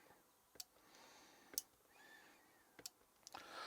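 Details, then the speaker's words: Train Tech RL1 DCC relay controller receiving throw commands, microphone held close: crisp single clicks about a second apart, the relay switching normally. "So that's the relay working."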